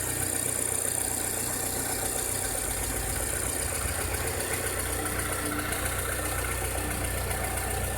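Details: 2006–2007 VW SpaceFox engine at idle with a strange noise: a loose, uneven knocking of about four per second over the engine hum; cause unclear.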